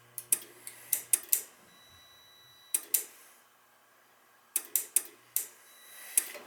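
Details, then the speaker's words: Dunkirk high-efficiency floor-standing gas boiler: sharp dry clicks in quick bunches, pausing and restarting, relay cycling even with thermostat disconnected; water found, probably a bad control board. Faulty control board, relay clicking on and off. "this connector is still clicking back and forth nothing's still operating on and off on and off and i got the thermostat disconnected we got issues here oh water so that's probably a bad board"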